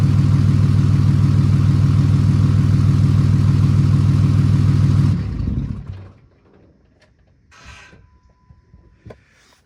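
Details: 2008 Ram 2500 6.7 Cummins diesel after replacing the failed turbo VGT actuator, recorded from the back of the truck: deep, even idle with a steady low rumble and no whistle, then a clean shutdown. Healthy engine.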